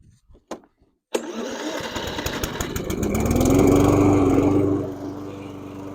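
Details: Stiga Combi 53 SEQ lawnmower, lithium-ion battery electric start after DIY repair with cheap relay and push button: starter spins briefly, engine catches cleanly, revs and settles to an even run. Starting works.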